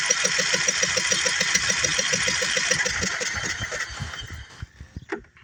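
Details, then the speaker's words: Craftsman riding mower, sat for years, plug out, cylinder flooded with varnish-smelling fuel and sprayed with PB: even starter cranking about three and a half turns a second with no firing, then stops; lots of nastiness expelled. "okay definitely had a lot of nastiness in there I'm going to uh throw some more PB in there"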